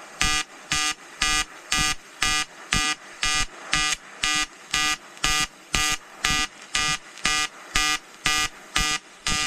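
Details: EWM Tetrix XQ 230 Puls AC/DC Expert 3.0 TIG on 5000-series aluminium with 2.4 mm 2% lanthanated tungsten and 2 mm filler: even buzzing bursts about twice a second, each with a sharp electric edge, in a quiet room; a normal, steady pulsed AC arc.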